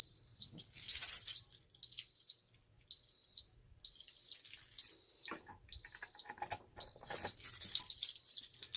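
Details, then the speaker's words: Ademco 6139R alarm keypad armed stay with police zone activated: high beeps about once a second with brief dropouts and uneven gaps, stuttering when the display changes; suspected power-related issue of older keypads, not confirmed. "You can really hear this thing stuttering now. It's quite a bit worse than some of the others. And it stutters, if you notice, it stutters when the display changes."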